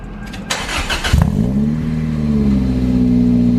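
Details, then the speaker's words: Toyota MR2 with new Garrett turbo after fixing a loose wire that caused the earlier no start: cranks briefly, catches cleanly into steady idle, revs smoothly with no misses or knocks; runs healthy. "That sounds badass. I know, right?"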